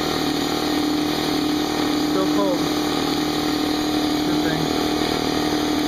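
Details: Brand-new Harbor Freight Central Pneumatic 68127 29-gallon 150 psi 2 hp dual-piston compressor, unloaded 10-minute break-in with tank drain open, staying cool; steady motor hum with even pumping drone, no knocking, rattling or squeal; normal running.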